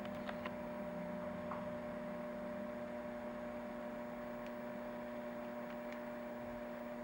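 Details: Macdonald CE 100 scanner: a steady low hum with clear tonal lines throughout; mains hum in the audio, cause not confirmed.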